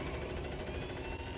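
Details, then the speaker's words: 1969 International Scout 800 heater blower motor, which had started making a terrible noise, now runs after penetrating oil on its bearing: steady, even hum with a soft low rumble, no squeal or scraping, quiet as a mouse. "quiet as a mouse okay so I think that will probably do it"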